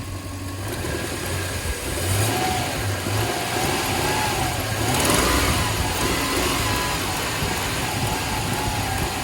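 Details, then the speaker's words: 2000 Toyota Land Cruiser 100 Series after installing an OEM serpentine belt (90916-02586) to cure a squeal: engine picks up smoothly on a throttle blip and settles back; no chirp or squeal, belt noise gone. "well there you go the freaking belt noise is gone for now and i have a lot of faith that it will stay gone but let us hope let's give it a little throttle"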